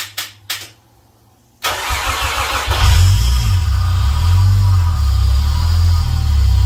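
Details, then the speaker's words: Toyota 1JZ-GTE engine after a rebuild for leaks and refitting with its turbo and exhaust, first start: it cranks, catches and settles into a lumpy, rough idle with an uneven low pulse around four per second, cause unclear. "It started running a bit rough, but I can live with that."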